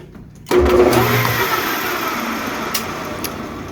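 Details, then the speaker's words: 220V single-phase capacitor-start AC motor: clicks on and drags briefly before spinning up to an even hum; hesitating start, sometimes worse; start capacitor suspected but a new one made no difference, cause not confirmed. "did you hear it hesitate then sometimes it's worse than that like"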